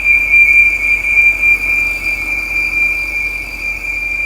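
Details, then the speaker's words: Audi RS5 at idle with fault code P2279 (intake air leak): steady high whistle as air is sucked past failed PCV/breather valves, fading when the cap is removed; both breather valves need replacing. "Okay, when you remove the cap here, it kind of goes away. See that? This one going to need a PCV valve right here. Okay, it's sucking in."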